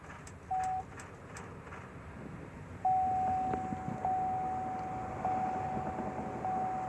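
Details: 2005 Chevy Silverado LT that won't start unless the driver's door is opened and closed: key turned gives only evenly spaced dash chimes and faint clicks, with no starter engagement or cranking; no-crank, no-start.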